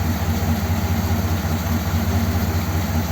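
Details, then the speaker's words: 1957 Ford Thunderbird, original four-barrel carb metering block reinstated, cranked via remote starter; low uneven loping idle, still runs with both mixture screws fully in and sounds slightly better, suggesting fuel bypassing the idle circuit. "worryingly it once again it still runs with the mixture screws in it actually sounds slightly better with both mixture screws right the way"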